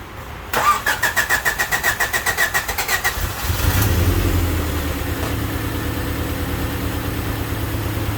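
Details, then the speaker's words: 1988 Honda Civic wagon with a crank-no-start problem, codes 10 and 14 (intake temp sensor, idle air control valve) fixed by swapping their wires: quick cranking with starter whine, fires after three seconds, then smooth even idle. "all right she's running pretty good it's actually pretty smooth"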